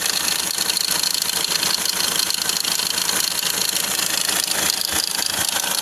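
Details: Hyundai Accent RB CRDI diesel sedan idling with fast fairly even metallic rattle about three per second over the clatter; loose timing chain suspected, a common problem, unconfirmed.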